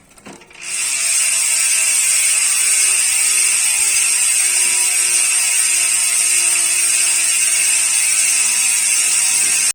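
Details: United Clovis 6.0 hardtail MTB with Nautilus Rakaat ratchet-system freehub coasting: loud, even, high-pitched buzz throughout — normal freehub sound.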